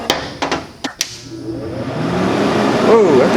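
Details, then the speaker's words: Hobart Handler 140 MIG welder, new setup, plugged in after wire drive tension is set: handling clacks, then the cooling fan spins up to a strong, steady whoosh, running healthy. "loud fan oh yeah that sounds nice and strong"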